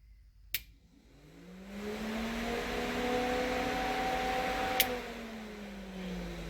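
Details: C6 Corvette electric cooling fans, hot-wired to a toggle switch after the fan control module flooded in rain: a click, then a smooth whir spins up, holds a steady pitch and winds down; fans running normally.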